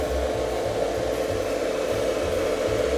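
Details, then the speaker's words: Camper/motorhome converter-battery charger after replacement, meter reading 13.72 V: steady even whirr, constant tone, no rattle or wobble; new converter's cooling fan running smoothly, charging fixed. "it's working. Plugged in the back to the distribution panel. All connected. It's definitely working."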